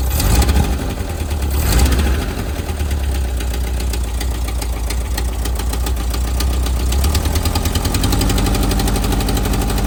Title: Type 4 engine knock